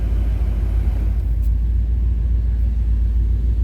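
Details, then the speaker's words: 1988 Chevrolet Silverado 1500 4x4 regular cab at idle: deep, even low rumble with no knocks, misses or ticks; nice smooth running truck, healthy idle. "Nice smooth running truck, as you can hear."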